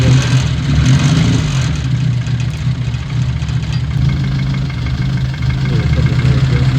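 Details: Old Austin Mini Cooper with Lucas/MSD ignition, just after first start following a no-start: low, chugging idle that wavers and stumbles, rough before tuning; adjusting the distributor and fuel later made it sound good.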